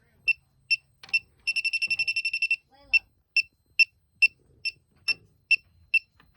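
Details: Elitech WJL-6000 refrigerant leak detector at a known leak site: sharp high beeps about twice a second, jumping to a rapid run and back; owner unsure if leftover soap residue is triggering it. Refrigerant leak detected.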